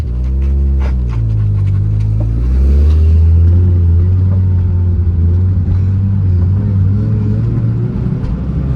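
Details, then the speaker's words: Mazda FC RX7 with a welded rear differential, before fitting a Mazdaspeed 2-way LSD: deep drivetrain rumble with rapid shudder in a slow sharp turn, jolty on/off throttle; welded diff binding. "I'm gonna take a sharp turn. You can hear the rear end."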